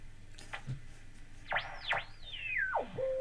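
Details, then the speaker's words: Valve radio (Healing 501E) on dim-bulb tester after valves fitted: sliding whistle sweeping up and down then holding a steady tone, oscillation because the shields are not grounding through paint; planned fix is sanding paint at shield contacts. "something I learned very early on is feedback over oscillation and that's what it is so this is not making a good ground"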